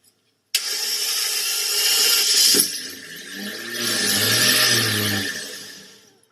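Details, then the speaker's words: Ferrari Testarossa left at the roadside for 17 years, cam belts at least 17 years old, cranked on the starter: a rising, uneven churn that fades without catching. It turns freely, so the engine is not seized. "yes amazingly and rather insanely they attempted to start that Testarossa risky is an understatement of the year for that one with that Ferrari Sat with cam belts at least 17 years old"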